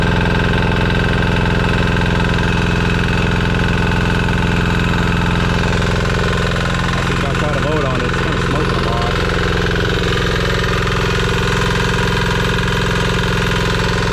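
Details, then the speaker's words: Amazon 196cc Chinese single-cylinder diesel belt-driving a 6-phase scooter hub motor as a generator, first loaded test run making about 700 W: steady, even thump with a smooth hum and no knocks or misses. Engine running fine; some smoke, expected to clear once warm. "this thing really never gets up to temperature without a proper load everything seems to work perfect"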